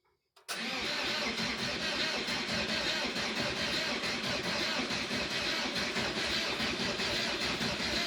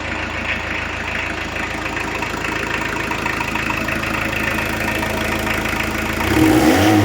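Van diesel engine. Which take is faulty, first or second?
first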